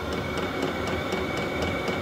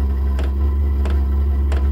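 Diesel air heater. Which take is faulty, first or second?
second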